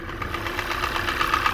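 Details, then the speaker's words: 2014 Kia Forte engine at idle: sharp, quick ticking that keeps time with idle speed over a steady engine hum; a persistent top-end tick, source still unclear after a partial inspection under the covers. "all right here is your motor you can hear it does have that noise um and that has torn into it a little bit"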